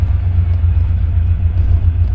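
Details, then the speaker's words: 1967 Cadillac DeVille convertible with a V8 and automatic transmission at 74,154 miles on the odometer: a deep, even V8 rumble under way with no misses, popping or rasp. Normal exhaust note. "Motor sounds nice and smooth. Exhaust sounds good."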